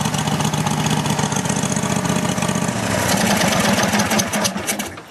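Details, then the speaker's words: Roper small single-cylinder engine just after carburetor refitted, the carburetor confirmed as the problem: chugs steadily on its own with a slight sag near the end, slightly smoky from paint on the intake; normal running. "little bit Smoky cuz there's uh paint on the intake but it's alive so like I like I said before I was correct it was a carburetor so I'm happy that it runs"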